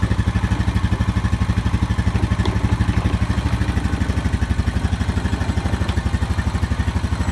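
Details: Honda Rancher 420 ATV after replacing the dead original battery with an AGM battery: even single-cylinder thump about three beats a second, steady and smooth at idle with no misses or knocks; normal idle.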